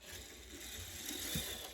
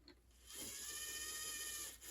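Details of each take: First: Bachmann Santa Fe F9 HO scale locomotive, started with a push, runs weakly: faint even whir of tiny gears, no clicking or skipping; no cracked gears heard. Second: Bachmann track inspector car (possibly EM1) HO scale, missing its traction tires, under power: thin high strained motor whine that never picks up speed, bogged down but the motor turns over.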